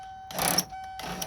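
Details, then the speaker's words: 2000 Ford van, aftermarket universal power window kit, key on: two short half-second bursts of hollow whirring with nothing catching, faint steady beep behind; motor runs but window doesn't move, owner suspects stripped plastic gear. "Alright, so I'm going to turn the key on. And what I'm going to do is, let's see what it does. It sounds like it's stripped."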